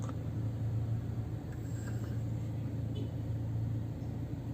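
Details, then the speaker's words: Older Toyota Fortuner 4x4 after AC magnetic clutch replacement: switching vents from body to feet, the previous motor-like noise from the mode door actuator is gone, only a steady low cabin rumble remains; actuator now operating normally. "dan ini coba kita pindahkan ke kaki lagi nih ini bunyinya udah nggak ada udah hilang"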